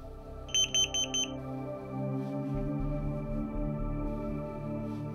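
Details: Carbon monoxide alarm being tested after activation by pulling the tab: four sharp, high chirps in quick succession, then quiet; normal test beep.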